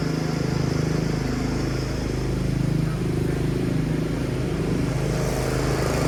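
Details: Yard Machines 38" riding mower, 13.5 HP Tecumseh single-cylinder, fixed after slow cranking and no-start: a steady, even beat with no misses or knocks. Normal running, charging at 13.5 volts; owner earlier suspected a carb issue when it wouldn't keep running.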